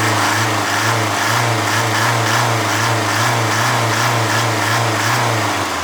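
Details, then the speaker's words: Mercedes OM601 diesel, warm idle, oil pressure half bar: loose uneven metallic rattle about three per second, heard from the injection pump, gone when cold or at raised rpm; head gasket leak starves chain tensioner oil, slack timing chain rattle. "Когда двигатель холодный и масло густое, такого звука нет. Как только он прогреется, появится звук."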